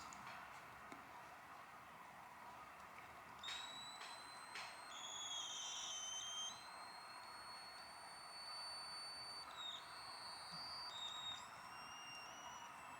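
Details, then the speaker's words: Wilesco T115 steam turbine boiler during first heat-up, no pressure indicated yet: thin high whistles wandering in pitch over a quiet hiss, steam escaping from some fitting not tight enough, exact one unseen. "Might be able to hear some whistling there. That's coming from some fitting that's not quite tight enough."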